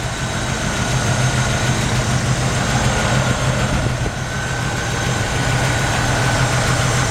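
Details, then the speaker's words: 1950 Ford F1 truck through dual exhaust, about 26°F, engine still a little cold: deep even low rumble around 200 pulses a minute, no knocks or misses, no smoke; healthy idle. "This truck has a nice sounding dual exhaust. Keep in mind it's about 26 degrees out, so we get the humidity there. This truck engine is not smoking."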